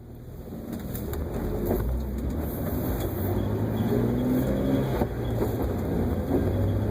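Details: Jeep TJ at cold startup: engine pulls up with a wavering, slightly rough tone riding over the idle, noise present until it warms up; unexplained abnormal cold-start noise.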